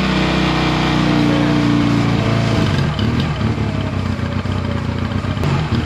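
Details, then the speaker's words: Honda Rebel 250 (CMX250) after a carburetor rebuild and cleaning, sat more than a year, started on fresh fuel; it holds a steady, even idle with a regular low beat and no stumbling, popping or hunting. "okay guys so I'm gonna let it run for a while it's been sitting for probably more than a year so it's still good for it to run some and seems like everything's gonna be fine"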